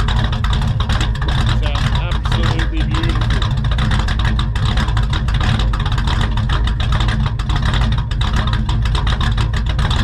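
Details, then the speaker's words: XR with a newly running carbureted engine, idling on the first test-drive outing before carby tuning: steady, even low rumble with no knocks or misses; healthy idle. "Let's have a bit of a listen to this idle, guys. This thing sounds so mint."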